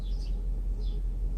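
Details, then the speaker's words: Mercedes S500, diagnostic-tool test switching injectors off one by one: deep low idle with a regular lumpy lope every fraction of a second and felt shake while injector 2 is cut out, smoothing out when it is switched back on. "Injector 2. Oh yeah. You can hear, you can feel the shake. And it smoothens out."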